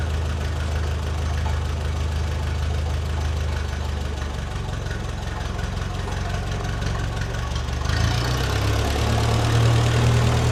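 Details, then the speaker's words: Restored, once-abandoned Ferguson TE20 tractor idling after a replacement old-stock part was fitted (ballast resistor uncertain), before testing the clutch. Low steady chugging about three beats a second, no cutting out; normal idle, "certainly quiet." "Certainly quiet."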